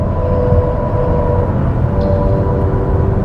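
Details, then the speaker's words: 2021 Toyota Mirai Limited hydrogen fuel cell car in normal mode pulling away: smooth rushing whoosh with faint steady whine, like air pushed through a pipe, no roughness; normal fuel cell drive sound. "makes that weird noise it's a slightly different sound i actually prefer the normal mode sounds like air being pushed through a pipe"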